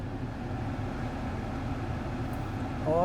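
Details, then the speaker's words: Volvo XC90 after replacing the blower fan with a used one from a 2006 S60: soft steady air rush from the dash vents, cold air, no chirp or squeak; blower normal. "the only the wind blowing cold wind yep nice"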